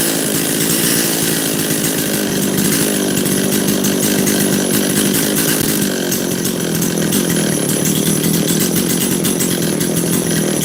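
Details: Makita DCS540 chainsaw after the high-speed jet was richened half a turn: a high, steady buzzing wail at constant revs with no bogging or surging; it now runs clean.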